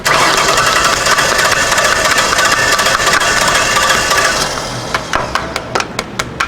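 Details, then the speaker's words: 2006 Ford Taurus with a just-swapped salvage-yard engine and old fuel, six injectors stuck closed being tapped loose while cranking: runs roughly about four seconds, then fades to sharp metallic taps around three per second, barely running. "it's running now but barely I'm having some difficulty here"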